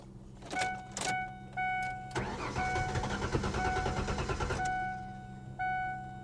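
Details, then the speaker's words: 2015 BMW 750i automatic at a salvage auction, low on fuel, after reattaching a loose ground: several short starter bursts, catches and runs about two seconds, then dies; possibly sat a while or an inertia switch is suspected, unconfirmed. "Oh, she's trying to run. Huh. She fired. You heard that? It fired up. Come on now."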